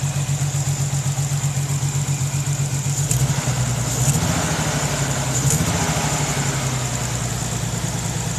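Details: 1992 Nissan 300ZX NA V6 at idle, recently acquired; uneven, lumpy, stumbling beat from a horrible misfire, cause unknown.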